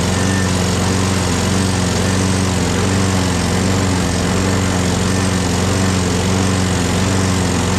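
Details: Craftsman 6.5HP Briggs Quantum FWD mower after magneto replacement and carb clean, primed and electric-started: steady, even single-cylinder beat running on its own, no surging or hunting. Owner hears an unidentified clanking and must prime it every time.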